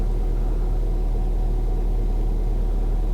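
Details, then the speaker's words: Ford Fiesta ST, just started after fitting a replacement ECU to cure a previous misfire: deep, even, smooth idle rumble with no stumbles or skipped beats; running cleanly, no misfire. "oh my god it's not misfiring it's not misfiring are you joking is this real it's not misfired it's perfectly smooth"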